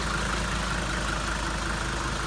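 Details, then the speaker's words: 1980 Mercedes-Benz 300D with OM617 five-cylinder diesel, rescued old car about to drive home: deep steady diesel clatter ticking evenly with low throb underneath; typical healthy idle. "oh I think I hear it the typical sound of that old om six one seven diesel engine here comes the old cow this is a 1980 300d folks"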